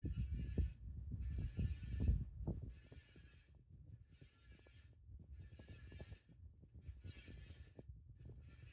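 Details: Hunter ceiling fan making noise: a high, scratchy squeak about every second and a third over a low, uneven thumping.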